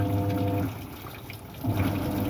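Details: Samsung washer in test mode, after the rusted clutch spring set was cleaned and refitted: steady motor hum with a short pause as the agitator reverses over trickling water. It now washes normally.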